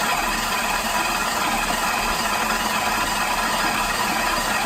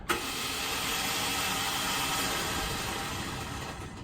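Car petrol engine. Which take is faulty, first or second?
second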